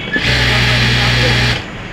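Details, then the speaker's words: Sewing machine after centering the part so it no longer touches, which fixed excess noise while running: a brief, even whir running smoothly with no knocking or rubbing. "চলো জোরে চলো একটু চলো এখন sound নাই আমাদের এখন তাইতো হ্যাঁ তো দেখতে পাচ্ছেন মেশিনে যে সাউন্ড ছিল"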